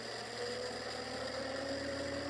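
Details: Homemade machine test with rebalanced rotor drum cylinders and new centre bearing, coils not connected, belt-driven run-up past 3000 rpm: smooth, even spin whose tone climbs with speed, no wobble or beat; rotor well balanced.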